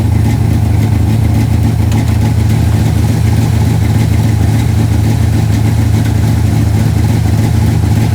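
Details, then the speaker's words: 1968 Dodge Dart GTS pro-street V8, first start of the season, cold-blooded and warming up: loud deep idle with a slightly lumpy, uneven beat; misfire from one spark plug wire that fell off the distributor. "i knew something wasn't right i could hear it missing a little bit we got one plug wire that fell off the distributor"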